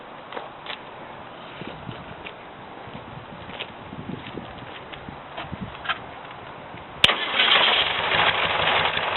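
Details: VW flat engine in its final installation, on break-in oil, after the carbs were cleaned and the jets replaced: quiet ticking, then the starter catches and it settles into a steady, even idle. Normal running; owner notes occasional smoke after long idling.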